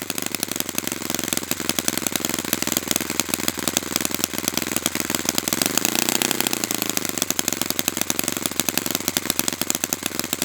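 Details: Brand-new Saito FA-100T twin, break-in run, still warm, no priming or choke; fast, crisp, evenly spaced firing pulses at steady speed with one smooth rev swell. Normal running, called spectacular.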